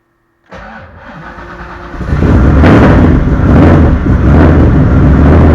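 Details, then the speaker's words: Engine first start after Stinger Performance Pimp XS install, ignition keyed on to prime fuel pump: brief cranking, then catches at once and settles into a steady even idle on first try before warm-up and idle tuning. "all right she's running started right up all right let her warm up and we'll get to some tuning"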